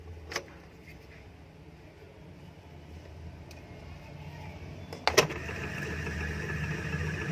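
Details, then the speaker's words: Indo 230 V 50 Hz ceiling fan after the noise fix without changing bearings, wires reconnected: a switch click, then a steady even hum with no grinding or ticking; runs normally. "ये देखिए फाइनली हमारा फ़ैन जो चल चुका है, बिल्कुल सही है, कोई भी ज़्यादा वॉइस नहीं है।"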